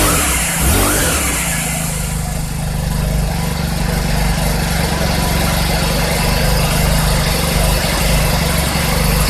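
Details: 2020 Cub Cadet SS 470 four-stroke string trimmer after its pull start was replaced (part 753-08449); catches and settles into a steady, even run with no misses or knocks, running healthy.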